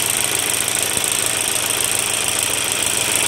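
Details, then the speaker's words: Volkswagen diesel idling: loose, uneven clatter about three knocks a second because the injection pump mounting/spring is broken; the pump is to be removed and sent for repair. "Pompanın yeri kırılınca bu şekilde ses yapıyor."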